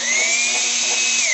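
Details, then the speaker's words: Compressor on an off-grid inverter through a DIY soft-start plug of two 1500 W heaters: a thin, high electric whine sags in pitch as the motor bogs down instead of starting. The owner suspects the cold room; the warmed compressor still fails. "slowing down i wonder if the temperature is getting too cold"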